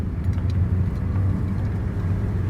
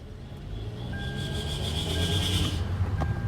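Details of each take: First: 2015 Hyundai Elantra on a test drive after a replacement transmission was installed: steady driving rumble with no whine under acceleration, shifting well. Normal transmission operation. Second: 2015 Hyundai Elantra automatic, driving with ABS light on: thin high whine only under throttle, fading off throttle, shifts fine; cause unknown, owner wonders if the ABS fault is related; suspected transmission whine.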